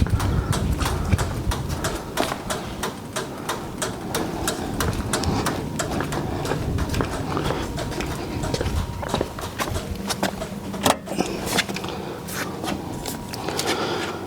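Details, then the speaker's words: 2010 Ford Crown Victoria Police Interceptor P7B at about 94,900 miles: scattered dry clicks over a quiet background as the relays click off after the lights are switched off; lights work, normal relay operation. "We do have working lights. And you can hear the relays clicking off in here."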